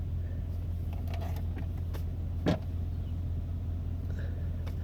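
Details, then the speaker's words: Old GMC truck, about 224,000 miles, idling after a cold 47°F morning start; steady even low rumble, one brief bump midway, no knocks or misses; engine runs fine, only needs body work and the undercarriage is no good. "You can see I mean, you can hear the engine still runs fine. I mean, the only really major problem is it just would need a little bit of body work."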